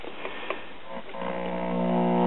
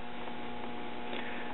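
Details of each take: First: Circa 1939 Emerson 5-tube battery portable, 1.5V filament and 90V B+, after a positive voltage was brought down to zero volts: a few taps, then a steady buzz holds cleaner through the speaker; the audio stage is improved. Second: Circa 1939 Emerson 5-tube battery portable, 1.5V filament and 90V B+, signal-traced through the audio stages: only a faint steady hum from the speaker, no program; audio stage dead, possibly a leaky capacitor, output tube suspected.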